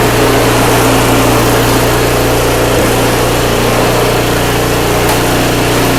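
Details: Craftsman 5/24 track snow thrower, small single-cylinder engine, after carburetor cleaned with carb spray and compressed air (seller's earlier carb clean failed): smooth, even beat at steady speed, no surging or stumbling; running healthy, restored.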